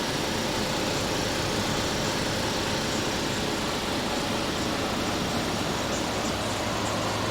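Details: Air conditioner with a large S-Series Tecumseh compressor, freshly recharged with R22 and producing lots of condensation; no leak found, likely low from factory. Steady even fan rush over low constant compressor hum, no knocking or rattles; normal running.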